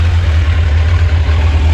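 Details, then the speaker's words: 1986 Kawasaki Concours ZG1000 after its carbs were reinstalled and the airbox mostly fitted. The idle was raised for starting and the owner says he could turn it down. Deep, smooth, steady hum held above normal tickover; high idle, runs pretty good. "I could probably turn the idle down a little bit there you go I buffed it up when I started it but it runs pretty good"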